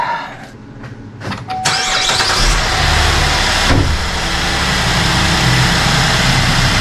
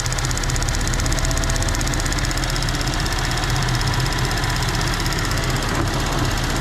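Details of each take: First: 2014 GMC Acadia after purge valve replacement (the bad valve had caused a lifter-like tick): engine starts quickly and settles into a steady, even idle with no ticking or clanking; normal start and idle. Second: 2014 GMC Acadia petrol engine at idle, not fully warm: fast, light ticking from a failing purge valve at the front of the engine, sounding just like lifter tick; noise louder as engine warms, quieter when disconnected.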